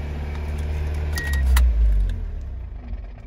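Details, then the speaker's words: NB Mazda Miata in neutral, clutch out, AC off, 105°F ambient: steady, even engine hum idling at 2200 rpm with no throttle; high idle, cause unknown, owner suspects heat may play a part. "I'm sitting here, AC off, everything's out of gear, it's clutches out, and it's idling at 2200. It's 105 degrees outside right now, so that could be part of it, but you can hear it idling really high."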